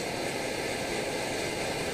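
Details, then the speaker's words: Omnifuel liquid-fuel stove with silent damper cap, fuel knob turned almost closed to stop chugging: smooth, even hissing roar with no pulsing; burner running steadily, flame unaffected. "there you see we've eliminated the chugging almost a little bit more there you go it didn't affect the flame at all it's still just as robust as it was before"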